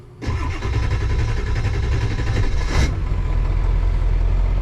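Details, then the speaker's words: 2001 Ford F-450 7.3 diesel, previously running on 4 cylinders (codes P1316 IDM, P1271/P1274/P1275), starting after oil galleys opened; cranks briefly until oil pressure builds past 500, then catches and runs smoothly in a steady low rumble. "go once she builds past 500 she's gonna run and she seems to be running pretty smooth right here"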